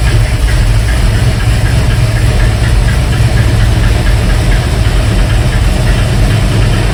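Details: 1971 Mercury Comet GT, cold start at about 60°F with choke set: loud, rough idle with a fast clacking tick in the low rumble, seeming to come from the front of the engine and worse cold; source still unknown.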